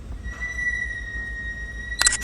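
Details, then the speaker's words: Car brakes giving a steady high-pitched squeal of about two seconds ending in sharp clicks. One suggested cause is a thin layer of rust on the rotors from overnight moisture, heard briefly in the morning. "What is it that makes your brakes squeak?"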